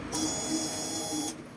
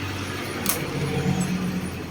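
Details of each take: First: 2019 Honda Scoopy i with a no-start, test fuel pump plugged in, key on to prime: steady high-pitched electric buzz for about a second then stops, good pressure; normal pump operation, the old fuel pump was confirmed as the cause. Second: 2019 Honda Scoopy i with a no-start: the starter cranks in rapid even pulses, about four a second, but the engine never catches, even with a new spark plug; traced to low fuel pump pressure.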